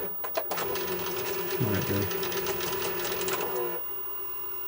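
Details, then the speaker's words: Sanyo Betacord VTC-1000 Betamax recorder with old tape: harsh whirring clatter with knocks about four a second, then quieter; tape-loading mechanism labouring violently while lacing, before opening up. "Sounds so violent when it's lacing up."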